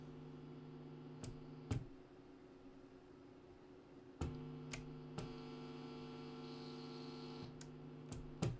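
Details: National Panasonic RF-7270 radio on the bench: steady low hum with a buzzy edge under a few switch clicks, mains hum suspected from an earth loop, wiring of the earth and car-cradle connector unclear.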